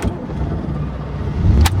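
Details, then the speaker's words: 1984 Corvette 4+3 manual, restarted, no throttle: low steady even idle with no hunting, earlier fluctuation apparently cured by fuel injector cleaner; normal idle. "i'm not touching the gas pedal or anything it's holding the idle at nine thousand are between nine ten thousand rpm"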